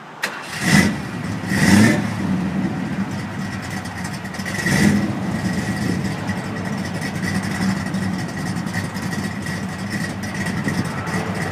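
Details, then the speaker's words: 1973 VW Thing flat-four parked since the early 1980s, after reconnecting the vacuum advance: three quick throttle blips then steady even idle with no misses or stumbles; idles well, oil pressure light stays off. "Alright, she's running pretty good. I just had to hook my vacuum advance back up here and then it idled real well."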